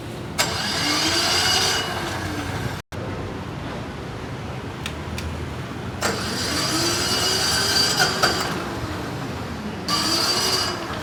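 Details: SDG12800E diesel generator: several cranking bursts of a second or two, each winding up and dropping away with quiet gaps; engine reluctant to fire, hard starting.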